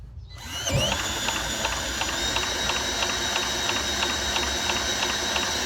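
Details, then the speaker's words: Vintage Craftsman mower saved from scrap, turned over with a drill after re-fitting the flywheel: steady ticking about three per second under drill whine, never catches, still no spark; owner wonders if the plug is to blame, unconfirmed. "what the heck is going on here man still got no sparks I wonder if the plug's bad"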